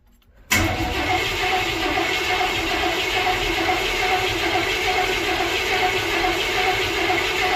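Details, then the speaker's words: 355 small-block Chevy just installed in a 1985 Chevrolet K20, throttle cable not yet connected, carb bowls possibly empty of fuel: the starter spins with a steady whirring drone and never fires; it cranks but won't start. "sounds like it needs a little more work see if anything happens"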